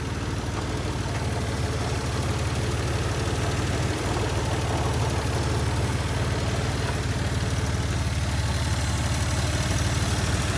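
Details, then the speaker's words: 1994 Toyota pickup 3.0 V6 idling with a steady, even low rumble and no misfire stumble after the timing was corrected and cylinder 5 injector reconnected, with an exhaust leak audible: normal idle. "Look how smooth and stable this 3.0 is now,"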